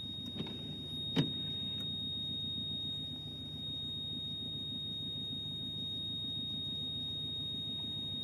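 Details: Subaru Legacy with the engine idling quietly: a thin, high-pitched beep or tone sounds constantly; a warning chime of unclear cause.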